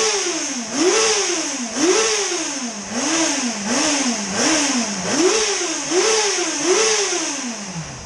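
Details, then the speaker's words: 2005 Yamaha FZ6, warm, revved after annual tune-up (oil, filters, plugs, coolant, new gas) following two years unrun; seven or eight quick clean blips, pitch rising and falling evenly, healthy, no issues. "She sounds good. No issues."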